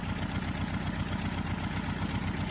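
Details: 1990 Toyota 4Runner, 22RE engine, about 250K miles, limped home: deep lumpy idle with uneven low thumps and heavy engine rocking, running on only 2 cylinders; not running hot, low oil pressure at idle, a thrown rod suspected.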